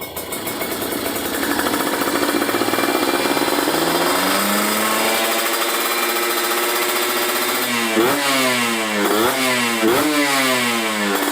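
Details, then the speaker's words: Kawasaki Ninja 150RR two-stroke after fitting a booster/ground cable that leaned the carburettor setting, now rejetted: crisp rev climbs smoothly into the midrange and blips cleanly; midrange fuelling good, though bottom end still deliberately set rich (boros). "Enak ya, tengahnya udah enak."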